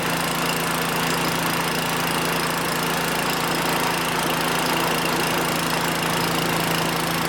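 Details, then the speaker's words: 5hp wood-splitter engine that wouldn't fire, fixed by reattaching fallen-off carb linkage: small single-cylinder steady even speed, constant low hum, no misses or knocks; runs good. "So the linkage on the bottom of this carb fell off. And as soon as I put it on there, she fired off. So that's all that it was. Awesome. Sounds like it's running good too."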